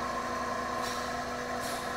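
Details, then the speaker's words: Everflo oxygen concentrator after installing a new solenoid valve housing: sharp hissing purge puffs about every 0.8 s over a steady hum. The valve now shifts between sieve beds and the flow ball no longer floats, normal purge cycle. "that's the sound that is moving from one side to the other so the valve is working now it's no longer hanging up"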